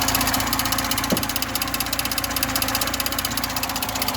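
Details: VAZ 2107 injector at idle, same when cold: fast steady metallic ticking rattle about two to three beats a second under hood; owner suspects alternator bearing, not confirmed.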